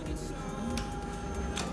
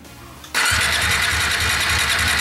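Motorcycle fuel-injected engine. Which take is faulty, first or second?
second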